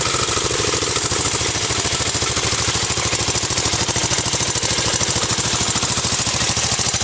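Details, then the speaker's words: 1984 Honda ATC 200X, pretty loud; small single-cylinder popping along at a steady, even idle, roughly three beats a second, no knocks or misses; normal idle. "So if you haven't seen my other video, I talk all about both of these, so I'm just gonna quickly start this up, rev it a little bit. This thing sounds like a beast."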